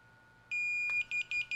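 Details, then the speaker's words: DJI Motion Controller pairing with the DJI FPV drone and goggles: press and hold the power button until it beeps, a long high beep then short even beeps that stop once linked. "there you go you can hear that beeping press and hold the power button here until it beeps okay and there you go stop beeping which means now the motion controller is now linked up to the drone as well as the goggles"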